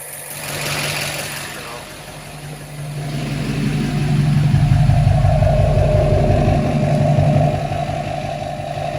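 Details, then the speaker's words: 2007 LBZ Duramax diesel after fuel filter change and fluid service: clean start settling into a steady, even idle clatter with a regular beat, no misses or odd knocks; normal idle. "Man, that sounds good. Sounds good."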